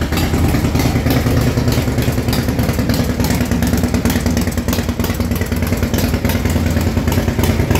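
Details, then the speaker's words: 2006 Harley Super Glide Custom, 124 cubic inch, rebuilt top end, ported heads, first startup before dyno tuning, one burnt ACR noted, rubber hose on exhaust: strong even loping big-twin idle, no knock or tapping; healthy. "there you go Super Glide Custom 124 giving inch with a set of old shot heads and get her tuned next week"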